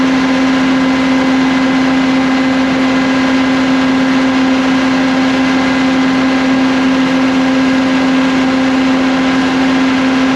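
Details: CAT (Perkins) C4.4 diesel that had a crank-no-start from too much fuel bypassing the injectors, running after injector replacement; steady, even drone with a constant mid-pitch hum and no knocks or misses, smooth and healthy running.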